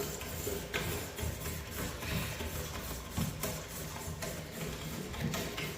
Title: Steam radiator making loud banging noise